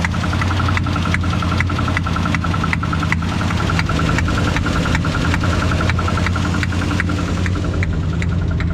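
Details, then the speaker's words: 1968 Ford F100 on test drive after water pump replacement, temperature and oil pressure good: sharp, evenly spaced ticking knock about six per second over rough idle, following engine speed, with backfire; valvetrain knock. "uh i think now i have a horrible valve knob i do believe that's what that noise is"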